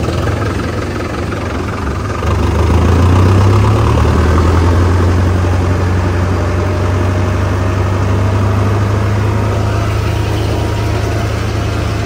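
Diesel catches after a couple of seconds, then settles into a steady, even low chug with no knocks; a healthy tractor idle.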